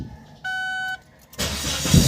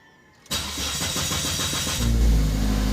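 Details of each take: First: Ford Focus after fuel pump replacement cured long-cranking hard start: short dash chime, then engine catches almost instantly on the first turn of the key and settles into a steady run; starting normally. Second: Ford Focus with long cranking, fuel pump suspected as one cause: starter churns about four beats a second for over a second before the engine catches and settles; hard starting, possibly from a weak fuel pump.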